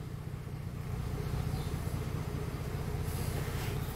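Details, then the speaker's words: Mercedes-Benz that had an unstable engine and codes P0300, P2090 and P0353, idling: a quiet, smooth, even idle with a soft low rumble and no miss; it is now running well. "pero ya el carro está trabajando pues de maravilla como lo escuchando"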